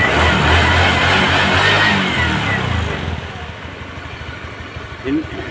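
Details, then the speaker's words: Honda Spacy scooter after repair of loose cooling fan on worn bosses, refitted with longer rings: starts with brief rev, settles to even idle with no metallic clatter; fixed. "ini tidak ada suara kakakak tadi ya permasalahan kan cuman sepili y nah permasan cuman sepili ada Bos kipas yang sudah aus"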